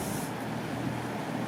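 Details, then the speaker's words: Daikin Altherma heat pump outdoor unit that trips its breaker after about 4 minutes: fan starts, blades turn with a steady even whoosh and low hum, no rubbing, ticking or rattle, no frost behind; outdoor fan operating normally. "Ça fait pas de bruit plus que ça. Donc c'est que ça fonctionne."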